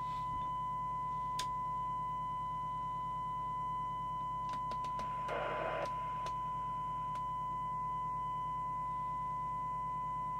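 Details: Skiptech TI4000FM CB27/81 CB radio on receive with a signal-generator tone during servicing: a steady test tone with a fuzzy, harsh edge over constant hiss; the FM detector sounds miles out of alignment.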